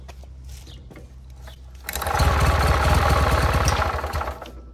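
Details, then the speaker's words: 1967 Army generator, two-cylinder 3 hp air-cooled overhead-valve gasoline engine, magneto ignition, non-runner, first pull start before cleaning two sets of points: catches, runs about two seconds with a lumpy lopsided beat, then dies; one cylinder misfiring from dirty points. "so after cleaning the points and hearing it run for the second time i think it was only running on one cylinder the first time"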